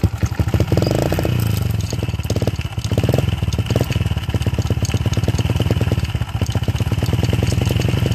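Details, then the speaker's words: Honda XR70 bike, top end previously reassembled wrong by a former owner, before repair: noisy, hard starting, won't idle, low power; uneven loping idle with loud top-end clatter and stumbling throttle response; worn cam chain roller and incorrect cam timing. "it's making a lot of engine noise it's also hard to start doesn't really want to idle and it also has poor throttle response and it's low on power"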